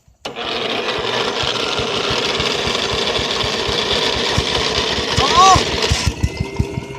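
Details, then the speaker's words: Lawn mower engine that was run until it blew up: rough loud running with irregular sharp pops and cracks before it dies; something is failing inside, suspected damage to the cylinder or piston. "If you hear that loud pop and cracking like that, that isn't a good sign for your cylinder, piston, or anything."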